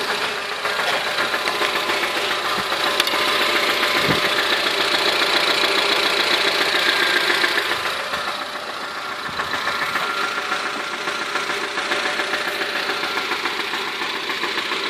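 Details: 2008 Honda Civic at idle, same noise from 170k to 185k km: sharp even knock about three to four times a second over engine hum; owner suspects a bad bearing, not confirmed.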